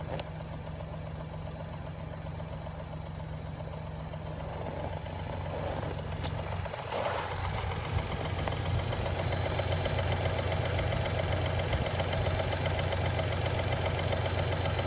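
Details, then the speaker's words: 2017 Ford Raptor cold start at −26 °C, engine replaced at 37,000 km, history of cam issues: cold petrol idle with faint regular knock about two to three beats per second; cause suspected, unconfirmed. "It's minus 26 Celsius outside. It's a slight engine knock on a 2017 Ford Raptor."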